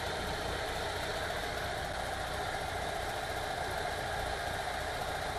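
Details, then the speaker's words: VW T3 2.1L after cylinder heads replaced, previously misfiring and backfiring from a burnt, non-sealing number two exhaust valve; steady even idle with smooth low rumble, no misses or ticks; normal idle after repair. "nice and even running again with the heads replaced"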